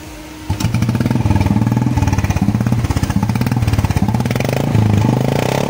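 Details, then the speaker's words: Newer-generation Royal Enfield Bullet 350 (brake on the right side, no self-start): it catches and settles into an even, deep single-cylinder thump at idle; the owner calls the pickup and sound good; normal start and idle. "जो आदमी easily bike चलाता है वो आदमी easily इस गाड़ी को चला सकता है पिकप वगैरह सब अच्छा है साउंड भी अच्छा है"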